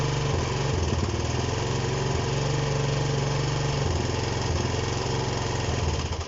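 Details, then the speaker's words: Honda CB125 single cylinder that keeps running then stalling and cuts out when revved. Idle sags and surges each time Easy Start is sprayed at the bottom of the engine, then dies; owner suspects an air leak there, cause not yet confirmed. "Right, so it's running now. I'm going to spray it in here. And it should stop now in a second. You hear that difference there every time I spray that?"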